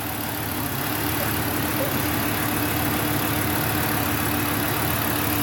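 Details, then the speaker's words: Volvo 850 T5 turbo engine after fixing vacuum hose leaks that left it barely running; copper valve refitted and boost control yellow line reconnected. Steady, smooth idle with faint constant hum, no hiss, stumble or misses; normal idle. "the engine is Hing like a kitten well okay maybe like a really nervous kitten but um it seems normal"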